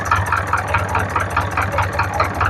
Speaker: So yan guys ang ganda ng andar niya. Matining, walang kalansing, hindi maingay.